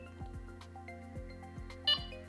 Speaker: this is now level 1 you can see straight away I have slowed down the beats therefore I have brought back that speed relationship which will give you more information